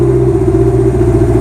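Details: Carbureted car with mechanical fuel pump and key-switched HHO system, summer, started without choke while HHO was on: a short steady, even low idle with no blips, misfires or hunting; runs cleanly.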